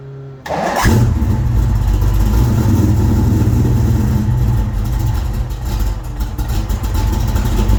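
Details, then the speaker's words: 1989 Notchback V8 starting on newly replaced starter, battery not yet secured: fires into rough heavy idle with coarse grinding rumble underneath, sounding like starter grinding on the flywheel; cause not yet found. "did you hear that see how nasty it starts it sounds like grinding away at the flywheel"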